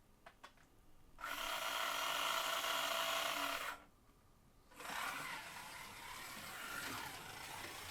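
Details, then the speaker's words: Policar slot car, one of four with the same motor, drive train gives a sharp, steady high-pitched whine over the motor buzz on each run; the noisiest and roughest of the batch, versus smoother, quieter cars. "and I don't know if you can hear that but it's quite whiny that yellow one sounds a bit Saucy but they've all got the same motor in and that one is a little quieter running as well"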